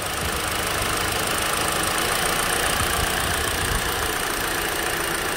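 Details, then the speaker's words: Hyundai Elantra SE petrol engine idling with an even, steady hum and no stumbling, after an unplugged ignition coil wire was reconnected; unplugged, it shook from the misfire. "now the engine is steady"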